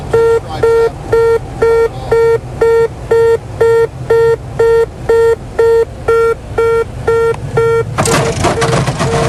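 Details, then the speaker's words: Aircraft on landing approach during a check ride: a steady mid-pitched beep repeating twice a second is the gear-up warning, sounding because the landing gear is not down while the crew ignores it. "they are ignoring a warning system you'll hear a beeping that is the gear up warning system"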